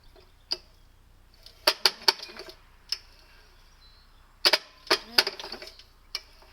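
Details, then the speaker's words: Wheel Horse 704 garden tractor Kohler engine, after refitting flywheel cover with new shorter bolts: sharp clacks and ratchety snaps in short bursts each pull, no firing; recoil starter still skipping teeth, starter not centered on cup. "It's skipping teeth again. That's kind of depressing."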